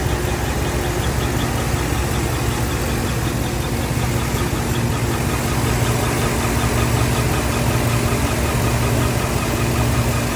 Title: Chirping noise on 5.3 AFM lifter damage and Cam